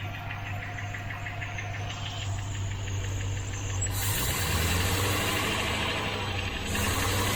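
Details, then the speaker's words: 1972 Range Rover (A suffix) V8, cold start with barely any choke, just started: light regular tick around three per second over the idle, settling down as it runs; owner suspects a slow-to-prime hydraulic tappet that needs to bed in. "might just be that hydraulic tap it just needs to bed in"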